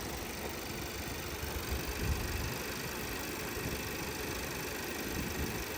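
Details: 2017 VW Passat 1.8, over 3 minutes after replacing the camshaft adjustment (variable timing) solenoid for random all-cylinder misfires: quiet even idle with smooth low hum, no stumbles or skipped beats; running normally.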